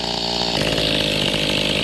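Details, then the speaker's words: Mantis two-stroke tiller after a carburetor fuel pump diaphragm replacement: the high buzzy note drops into a slow, rough, uneven idle after the idle was lowered. It almost stalls because the idle is set slightly too low. "yeah see that i lowered it a little bit now it sounds like it almost wants to stall"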